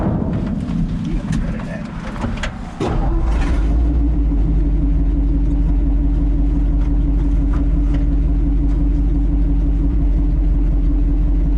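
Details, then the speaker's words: Old three-on-the-tree vehicle on its first slow test drive: a loud, deep, raspy blat that stays heavy as it pulls, from an exhaust leak through a couple of holes in the muffler, one of them big. "Sounds good. Yeah, you know. A couple of holes in the muffler. One big one."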